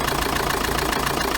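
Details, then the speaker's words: Chevrolet Tracker diesel at idle, hood open, after repair: noise was in the ribbed belt pulley and idler pulley, both replaced; even clatter, no squeal or knocking; noise gone, normal idle. "Olha aí pessoal como é que tá o barulho agora depois do reparo efeito"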